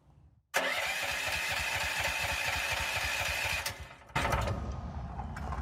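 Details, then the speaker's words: Land Hero 12 Chinese mini excavator after about 25 hours, ran 10 seconds then 2 seconds and died, cranked with air filter off: steady rapid starter chug twice, never catches; spark and gas smell present, cause unknown. "I fired it up right away after that ran for about 10 seconds died fired it up again about 2 seconds and died and hasn't hit a lick since"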